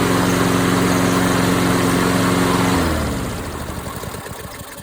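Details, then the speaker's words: MTD Lawnflite mower repowered with a swapped-in Tecumseh engine, first run with blade fitted: steady even beat, smooth wind-down at shutdown; runs healthy, though owner suspects an oil leak. "Well, that's good news. I guess it's good enough that we could always uh cut some grass."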